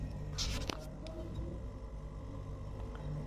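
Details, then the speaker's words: Single-door fridge compressor running with a steady low hum and getting hot, light on, but fridge not cooling; compressor works, so it's likely not the fault. "Ini kedengaran untuk kompresornya sudah berdengung."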